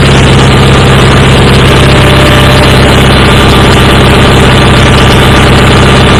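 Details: Approx. 1976 Sears GT18 tractor (a commenter says 1978–79), Onan 18 HP twin, at 52–54°F with choke off, after carburetor cleaning and fuel pump rebuild. It previously ran rough; now a steady, even idle with a smooth rhythm and no misses, knocks or stumbles, normal running.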